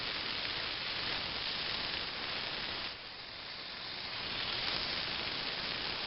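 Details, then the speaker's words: Fogless mister, needle valve opened further: steady airy hiss with slight dip and recovery, no sputter; fair coolant flow wets hand without fog, normal spray. "even though that's a fair amount of coolant uh coming out of my hand uh it doesn't really make a fog or a Mist per se I mean it seems to work pretty Dar well"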